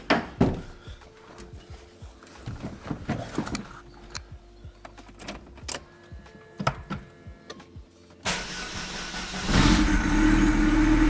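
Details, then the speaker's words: Daewoo after refitting starter with replaced solenoid: short bursts of cranking, then engine catches and settles to steady idle. Engine cranks and starts. "Starts up. No, it doesn't start anymore. What the fuck? Did I flood it?"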